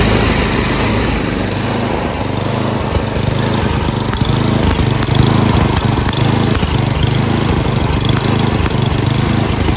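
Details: Craftsman 928 dual-stage snowblower, 9 hp Tecumseh engine, electric start, on choke at full throttle before repair: steady single-cylinder chug with a slight rise and fall in speed. Engine surging; stalls halfway down the throttle, carburetor needs cleaning.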